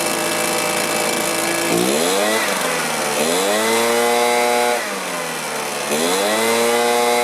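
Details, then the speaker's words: Stihl BR450 two-stroke commercial blower that starts, runs, then dies: revs sag and recover about every two seconds, surging; fuel filter clean and return heard in tank but not pulling fuel; fuel starvation from a blocked tank vent. "for some reason it's not pulling fuel I can hear the return in the tank but we're not pulling fuel anymore"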